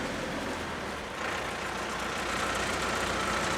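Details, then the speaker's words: Diesel Bandit 200XP wood chipper: after the clutch is disengaged, the heavy cutting disc keeps spinning with a continuous whoosh under steady diesel running. Disc coasting after clutch disengaged; normal. "now you're hearing that you're hearing that disc in there still spinning so that's that's the idea behind releasing and disengaging the clutch"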